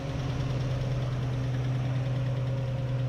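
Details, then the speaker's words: 1955/56 Oldsmobile Rocket 88 with 324 V8, barn find sat 22 years, first idle after getting it running: steady low even beat, no knocks or misses; good oil pressure, though a sizeable vacuum leak is suspected. "That's awesome. Sounds good. That's nice."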